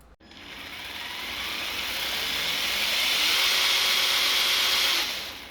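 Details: Traxxas TRX-4 Ford Bronco RC crawler after maintenance of motor, gears, portal axles and diffs: motor and gear whine climbs to speed then holds steady and even with no clicking, grinding or catching; drivetrain runs clean.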